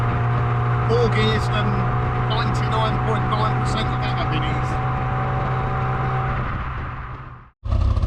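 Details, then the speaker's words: 1990s John Cooper Garages Mini Cooper S Sport 5, warm idle: owner says it has long idled rough when hot; lumpy, uneven pulse about four a second, almost like a misfire but not quite; not misfiring under load, cause not yet found. "I'm sure you can probably hear it just sounds really rough. Almost like it's misfiring, but not quite."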